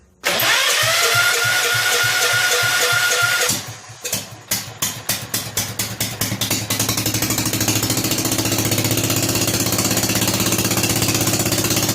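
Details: Rebuilt Kohler K241 single-cylinder engine in a John Deere 210 garden tractor, starting after the rebuild with a new fuel line: after a whirring crank it sputters in uneven pops about four a second, then settles into a steady, even run.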